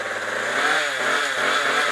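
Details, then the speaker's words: Craftsman Speed Start trimmer power head, built 2009, after carburetor and fuel line replacement: a buzzy, high two-stroke note that climbs smoothly with throttle, with no sputter or missed beats. The engine runs cleanly. "I mean this thing was built in 2009 and it still runs great"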